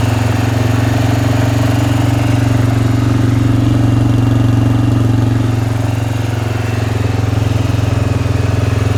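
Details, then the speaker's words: Suzuki Vinson ATV with a freshly rebuilt single-cylinder engine, not yet broken in, on first run after installation; smooth, even idle beat at steady pitch, no ticking or knocking: normal idle. "We did it, guys. All that hard work, it's running awesome."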